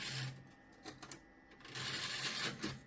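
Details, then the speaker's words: Optical drive in a 1998 Gateway G6-400XL (400 MHz Pentium II) ejecting the Windows 98 install CD: short bursts of motor whirr and plastic clatter as the tray drives out; loud mechanism, but it ejects normally. "it is a loud eject mechanism"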